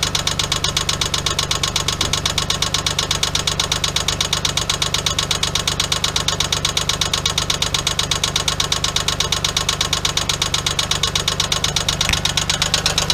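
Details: 1997 Geo Metro 1.0L idling after oil leak; hard steady knock about twice per second over idle, spun rod bearing.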